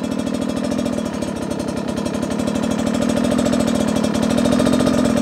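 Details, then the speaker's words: Beta 250 two-stroke on stock jetting, low-speed riding: rapid pop-pop beat that stumbles and almost skips; lacks smooth bottom-end consistency; rider feels the stock jetting is the cause. "you can hear it's almost skipping at times we're looking for that smooth and I can't make it do it as smooth as that 300 here those inconsistencies"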